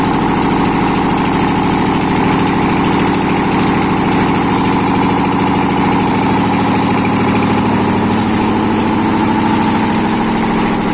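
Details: ZMZ 511 V8 started after major overhaul, exhaust present: loud, steady idle with even beat, no knocks, misses or hunting; engine running healthy.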